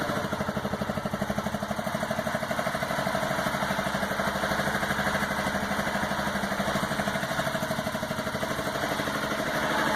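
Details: 2009 Aprilia Shiver at idle: lumpy, uneven chuffing beat pulsing about three times a second, a front cylinder misfire.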